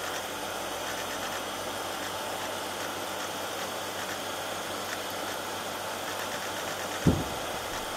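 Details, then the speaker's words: Hard drive in a custom-built Pentium 1 PC clicking once while running a data-recovery scan of a defective region: drive seems to reset its heads then read the sector; owner suspects failing heads, not confirmed. Quiet steady hum, one sharp click. "sounds like that sounds like the drive resets once and then is able to read the sector so failing heads not sure this is recovering data from a bad sector"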